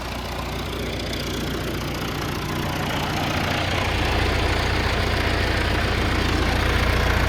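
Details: John Deere 450C bulldozer diesel, warmed up after reassembly, fluids topped off, pressures set: steady low rumble with even beat building slightly as revs rise; running normally.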